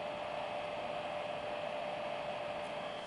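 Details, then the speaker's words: Battery charger, single fan held up to microphone while plugged in: steady loud airy whoosh with constant mid-pitched hum, no wavering; normal but noisy cooling fan. "is quite noisy so I know it's a personal thing but that is the only thing that stopping this been my main charger is that I have it plugged in constantly and that fan is making a loud noise"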